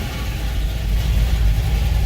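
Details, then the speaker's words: 1978 Ford Courier after new lower radiator hose, thermostat housing change and electric water pump: deep, steady low rumble, no misses or knocks, electric fan cycling; warm engine idling smoothly. "so you see we're we're not doing too bad I think she's idling nice"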